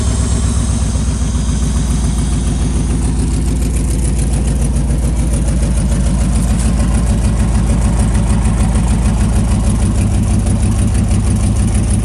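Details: 1995 Buick Roadmaster Estate Wagon V8, first start after sitting for years, fuel primed. Low, steady burble settling into an even idle with no knocks or misses; coolant then spilled from an upper hose missing its clamp.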